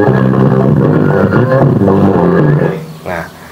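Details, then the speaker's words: Profotex amplifier, about 8–10 inch, fed from a radio: harsh, crackly, distorted audio instead of clean sound; oscilloscope shows non-clean sine, owner unsure whether transistor (TIP) or electrolytic capacitor is at fault. "suaranya seperti itu Men Pokoknya intini dia ndak bisa bersih corot kalau dilihat di osiloskop itu ndak bisa gelombang sinus seperti itu pasti ada yang ke atas kemudian ada distorsiah"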